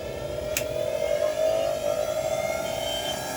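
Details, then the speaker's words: Mixer grinder running after its coupler was replaced and pressed into place; steady high motor whir at even pitch with no rattle or grinding. Normal running. "एकदम व्यवस्थित चालू झालेलं आहे."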